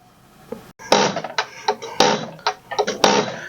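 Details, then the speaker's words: 1999 Mack E7 E-Tech mechanical injector no. 1 on a pop tester: sharp, crisp bursts of rapid buzzing chatter about once a second; good chatter and atomization, though opening pressure is low at about 270, technically out of spec. "All right, so injector 1, you can hear a good chatter. You can see a pretty good spray pattern."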